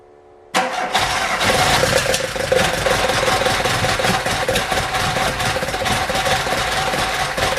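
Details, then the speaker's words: VW Golf Mk1 with swapped 2.0L 8v engine on twin Dellorto DHLA carbs, first start: engine fires and runs rough with sharp backfire pops; owner suspects an ignition problem. "so there is some life in it but it's clear that something is wrong the backfires are telling me that the ignition might have a problem"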